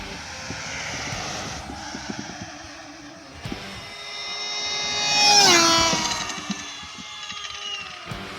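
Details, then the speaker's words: Slash 4x4 RC car on a top-speed run, setup unchanged from last week: high electric whine climbing and fading as it passes, with a rough scraping rasp underneath, heard more than last week. "So I do hear it scraping a lot more than last week. Maybe it was scraping last week, but I couldn't hear it because of all the wind, because I haven't made any changes to the car."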